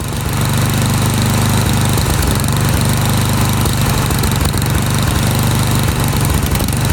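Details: Snowblower single-cylinder engine, carburetor main jet threaded out after leaning to stall; steady loud drone with slight uneven chugging beneath as the rich mixture is tuned toward the sweet spot; rich running from main jet mixture.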